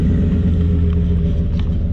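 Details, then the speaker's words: Ford F-150 after the slipped muffler and tailpipe were re-clamped: a deep, even exhaust rumble at idle with no rasp, hiss or rattle, sounding sealed and healthy. The resonator appears to have a hole. "She's fixed. Man, I'm crying here. I got rust in my eyes. Can't get it out. Alright, she's good now."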